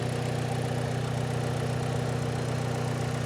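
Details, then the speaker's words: 1970s Chevy Suburban with manual transmission at a Copart salvage lot: steady, even low idle with smooth regular beat, no knocking or ticking; runs good and very quiet. "But it runs good. It's very quiet."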